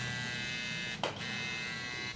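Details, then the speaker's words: Helios rotary tattoo pen running at 9 volts without a needle. A quiet, smooth high-pitched hum with no rattle or uneven buzz; quieter and denser-sounding than a Cheyenne PEN, running evenly. "очень тихо тише чем шаген даже не то что даже вот но на звук как то знаете ну плотнее вот потому что"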